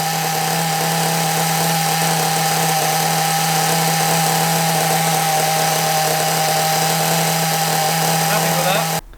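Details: Small nitro RC engine running with the other carburettor; steady slightly high buzzing idle, no surging or dropouts; normal idle, running well.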